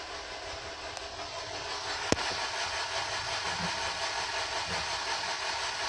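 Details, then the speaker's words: 2006 Honda Civic Si, 162,000 miles, bought not running: fuel pump primes and immobilizer light goes off, but the starter churns unevenly with no firing; crank no start. Intake gets hot, owner suspects backfiring into the intake; muffler missing. "and cranks and cranks doesn't do nada"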